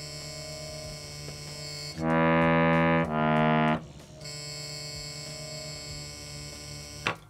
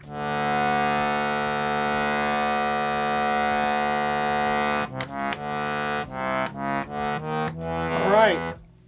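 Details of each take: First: Bhava harmonium, Studio Concert or Mini Standard model: sustained reed chords, with one note carrying a harsh, rattling buzz over the steady tone; a buzzing reed to be located using the stops. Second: Bhava harmonium after re-seating a reed with its screw to fix buzzing: a clear steady chord then short separate notes, all clean with no buzz; fixed.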